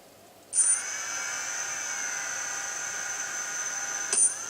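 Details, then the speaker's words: Quadcopter's four 1100kV motors on flashed, calibrated ESCs with Multiwii 328p board, no props, armed and run in 3D mode forward then reverse: quick spin-up to steady high whine, no rattle or stutter; normal running. "so that's that's forward and then reverse you can hear it hopefully you can get that in the picture"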